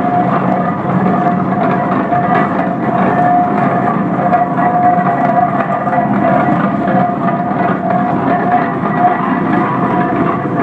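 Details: 1917 Minneapolis 40-80 tractor running for the first time after rebuild: steady, even run with a constant mid-pitched drone, no knocks or misses.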